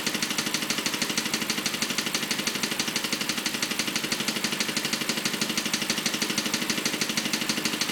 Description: My BMW 545 is making this weird noise.